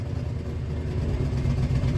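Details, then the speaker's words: 2000 Ford F-150 4.6L 4x4 after a new camshaft position sensor and rear downstream O2 sensor: idle chugs and hunts, revs to about 2000 then drops back to 1000 rpm, with a hissing noise and battery light; idle air control already cleaned. "it doesn't rev right away and then now it once it kind of gets going it starts back to chug in and then it revs up to about 2 000"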